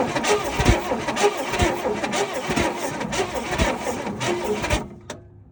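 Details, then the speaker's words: 1964 Chevelle Malibu 230 inline-six, unrun for 34 years, after regapping the points: steady cranking at about one pulse a second that never fires, with still no spark at the points. Owner suspects a bad condenser, not confirmed. "Well, and as you guys could tell, there was no spark coming across those two little things."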